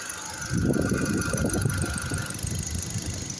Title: xcent engine noise